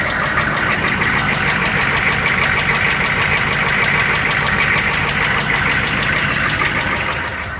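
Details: GM K2500 6.5L diesel running first time in a year; loud idle with clattery, fairly uneven knock roughly three times a second, cause unclear: engine knocking at idle.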